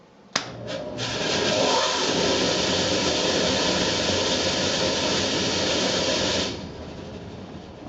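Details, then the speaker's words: Furnace blower fan running with the heat off: loud, rough roaring rush, described as an earthquake in the house; motor ruled out, the squirrel-cage wheel's outer blades have broken loose and slip on the hub. "if you hear that sound it's a pretty good chance that it's not the motor and it's in fact the squirrel cage has broken loose"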